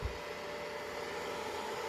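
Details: Greencell 1000 W hybrid solar inverter in a garage, before its cheap stock cooling fans are replaced: a steady, loud rushing whir with a faint constant hum, the noisy original fans, which the owner likens to a factory.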